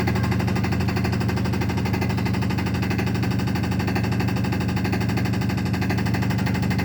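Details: Realme washing machine on spin cycle making loud, rapid, steady banging and knocking over a deep drum roar.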